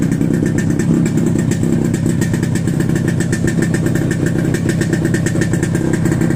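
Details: Two-stroke chopper after exhaust rework to quiet it: steady, even putter at idle with soft muted exhaust, no rasp or misfire; healthy normal running.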